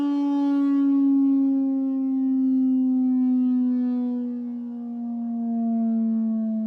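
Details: Medion 65-inch TV: a steady hollow tone with overtones sinking in pitch, a crackling resonance as the housing rings along with the speakers at certain frequencies.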